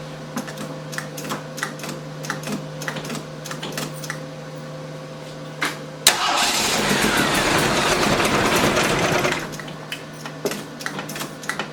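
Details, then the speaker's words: 258 after rebuild with new Weber carb reinstalled; won't start, runs briefly only after pumping accelerator several times, with slight backfire; timing checked at about 9 degrees. Even cranking, sharp pop, roars about three seconds, dies back to cranking. "The engine will start briefly if I pump the accelerator multiple times. There is some slight backfire, though I've checked the timing, and at least as near as I can tell, it's at 9 degrees."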